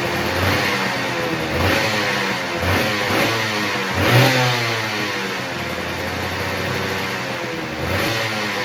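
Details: Honda NSR250 (MC21) two-stroke started for the first time in 5+ years after a crash: crisp buzzy note rising and falling on throttle blips, picks up cleanly and ticks over nicely.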